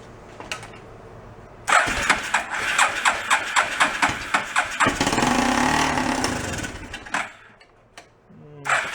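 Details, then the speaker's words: Homebuilt rat rod quad about 7 years old, long unused and historically hard to start cold, started without choke: cranking pulses catch, runs rough a few seconds, fades, then fires again. "let's see you got no choke on right now we'll see how it operates like that"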